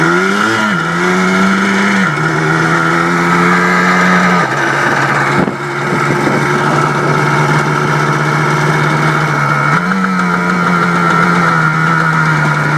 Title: Blaster after rebuild